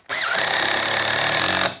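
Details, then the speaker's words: Impact driver sinking pocket screws into a face frame; short burst of rapid hammering rattle, pitch climbing as screw seats tight, then stops; normal impact driver operation. "Hear that? The sound goes up, the screw's tight. I'd much rather use an impact driver than this driver right here, because this one's a little heavy"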